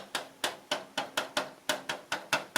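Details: 2022 Tesla Model 3 rear driver's-side aero wheel cover tapped by hand before fix: sharp hollow plastic knocks about four a second, loose cover that rattles over bumps like loose suspension.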